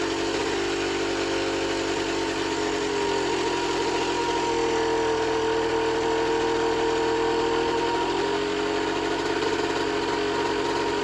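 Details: Generic Trigger SM 50cc two-stroke on a temporary fuel tub with a stiff temporary throttle cable: uneven buzz whose pitch climbs by itself, then drops back. Owner suspects an air leak, later found around the intake manifold; main and pilot jets were also blocked.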